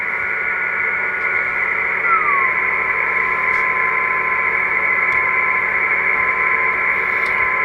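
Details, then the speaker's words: Kenwood TS-450S transceiver receiver, speaker output; thin steady whistle over hiss that slides and drops in pitch when the RF board is pressed down; spurious birdie, suspected from the RF board, improved after loosening its screws. "you can hear the speaker the noise watch the amplitude watch the tone when I squeeze down this board the RF board the amplitude goes"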